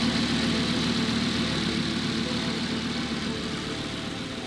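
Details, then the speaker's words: Rebuilt 2015 Lamborghini Huracan V10, first start after refilling with new coolant. Smooth, steady idle with an even beat and no knocks, ticks or misses: normal idle. "hey listen ready yeah close to the vows a little bit louder sounds like an animal but i don't really want to rub it too much it's late at night"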